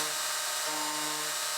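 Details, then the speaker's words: End mill plunging into aluminum on a CNC router at a very low plunge rate: high-pitched spindle hiss with steady low buzzing chatter, blamed on the machine not being rigid enough. "you can hear the chatter of this pool plunging in um and i have my plunge rate set really low and i've done everything i can to try to get rid of that just my machine is not rigid enough"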